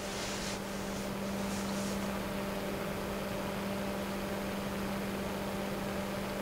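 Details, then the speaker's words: Noctua NF-P12 120mm computer fan at 12 V, 1300 RPM, 0.09 A, with the camera close; the air rush is airflow over the mic. Steady rush over a low even hum, no ticking or rattle; normal full-speed running. "matter very quiet fan also moves a pretty good amount of air got the camera a bit closer so you can hear it better still running at 12"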